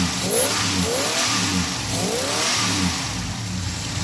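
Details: V8 with Holley Sniper EFI just after replacing a failed MSD Blaster coil with an MSD HVC II coil: catches and runs with quick throttle blips, slightly uneven idle after; normal, with EFI still relearning its fuel tune.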